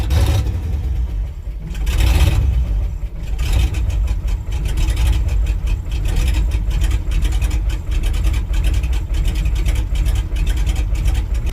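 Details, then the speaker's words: Rebuilt International truck V8, cold start in January, coming up to temperature; uneven idle with irregular pops and misses; misfire at idle, owner suspects faulty carbon-core spark plug wires, plans solid-core copper ones; carburetor needs adjustment. "I mean you can clearly hear it popping and miss and we're starting to come up on temperature now"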